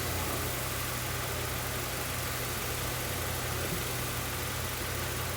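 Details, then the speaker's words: 2007 Mazda 3 petrol engine idling unstably with an irregular low stumble; the misfire moved from cylinder 3 to 1 to 2, pointing to a faulty ignition coil; O2 sensor graph shows a lean tendency. "Ahorita está fallando la un cilindro, el cilindro no por un tema de la bobina que tenemos al estado."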